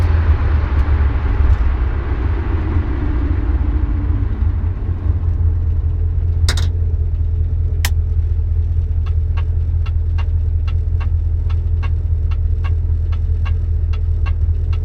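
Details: 1973 Dodge Dart with 904 automatic transmission: deep engine rumble with a sharp even tick about two beats a second; only two gears seem to work (1-2 or 2-3); ticking cause unknown, transmission being replaced.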